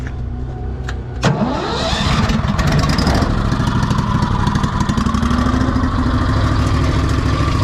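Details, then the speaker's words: Pink Walker gas mower leaf loader after sucking soaked wet grass: the engine starts to a steady roar, but the blower note is thin and unloaded. The impeller isn't spinning and suction is weak, suspected clog in the tube, to be taken apart. "this thing must be clogged up in here so I got to take this apart and if that's not the problem I don't know what's going on with it"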